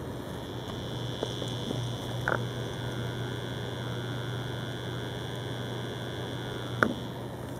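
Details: New Corsair H50 liquid CPU cooler on Phenom II X4 955, microphone next to cooling block; constant low buzz with faint high whine from the pump, appearing after running a while; owner considering RMA as defective, cause unconfirmed.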